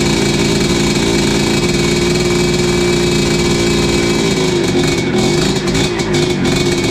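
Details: 1986 Tecate 3 two-stroke, fresh build with new bore, piston, rebuilt crank: buzzy fast idle, slightly burbly and uneven but steady once ignition timing was advanced from the marks; 500 carb not ideal.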